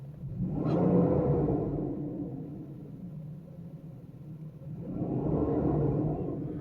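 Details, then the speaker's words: 1995 Mercedes S600 coupe V12 after exhaust noise repair and new motor and transmission mounts: smooth, quiet, even low rumble swelling gently twice with revs, no ticks or exhaust blowing, exhaust tips steady; normal idle. "So yeah, sounds like a proper V12 now. Nice and quiet. I changed the motor mounts and transmission mounts so there's no vibration in the vehicle."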